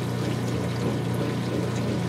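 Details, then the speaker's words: Whirlpool direct-drive washer with the drain hose pointing toward the back: an even, steady rush of water with a faint low pump hum underneath. A little sound remains, but this is a normal drain. "hose is still pointing toward the back [Music] yes it does get a little sound"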